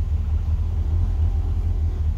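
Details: 1963 Falcon, turbo 2.3L, aftermarket throttle body and IAC: deep, steady, low rumble at a constant slow idle without surging. Idle brought down, tuning still touchy as IAC and throttle blades interact; owner considers a smaller throttle body.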